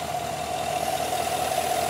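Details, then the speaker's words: 2020 Silverado Trail Boss at idle after installing a JLT 3.0 oil catch can and insulating its hoses: a slight steady hiss with a faint whistle remains from vacuum through the can, much quieter than before. "so it still hisses there's still a slight hiss take a quick listen"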